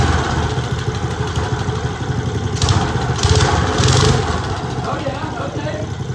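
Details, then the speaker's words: Old Briggs & Stratton single from a go-kart left outside 8+ years, sand-contaminated tank, tank held for fuel pressure: uneven hunting beats rising and sagging; surging running, suspected fuel starvation, not confirmed. "Sounds like the fuel starvation problem to me."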